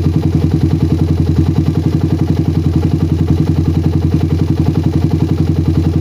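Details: Motorcycle with PWK carburetor that ran rich at low RPM, after the fix and air-screw rebalance: settled idle with regular pulses at constant speed unaffected even when the slide is pressed for a long time, no hunting or stumbling; normal idle.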